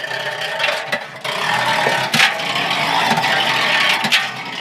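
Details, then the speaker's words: Washing machine: irregular metallic clattering and knocks over a steady drum rumble, from a bra underwire trapped between the drum and tub. "% 10000 çamaşır makinesine Balen teli kaçmış demektir değerli takipçiler makinenin içine"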